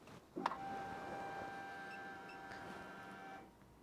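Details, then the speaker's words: Ferrari-engined Alfa Romeo 105 with ignition on: a click, then a steady high electronic alarm beep from the Raceworks gauges signalling out-of-spec faults from unconnected senders. "there's this beeping going on in the background and that is the raceworks gauges let me just turn them back off again basically that's the race Works gauges in alarm telling you that they are out of spec"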